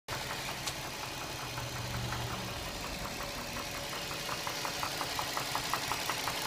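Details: Nissan 350Z idling with a light, steady ticking, about three a second, mainly from the back of the engine near the firewall; oil level checked and fine, cause undetermined.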